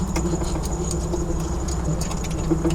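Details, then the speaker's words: 1992 Jeep Wrangler YJ with a 5.3L LS swap and AX15 transmission, pulling away in reverse and driving. A steady low engine rumble with repeating thin, chirpy squeaks; the belt tensioner had been squeaking earlier, but the source is unconfirmed. Squeak while driving. "Oh, that squeaking is very annoying. That exhaust sounds great, though. It's not too loud in here."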